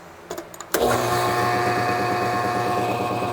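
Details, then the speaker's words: Homemade 80-gallon shop compressor, first run with belts on, which could use tightening. It starts with a thump, then a steady hum with a fast, loose buzzing rattle; the lid is rattling louder than the compressor itself. "this thing's still rattly this thing's louder than the compressor is"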